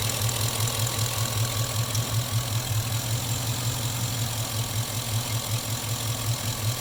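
Steady idle with a soft, fairly regular low knock, about two and a half per second, riding over the engine's hum; some kind of knock. Cause suspected, not confirmed.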